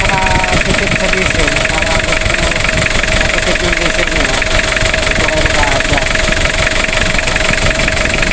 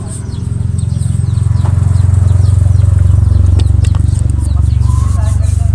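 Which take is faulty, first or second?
second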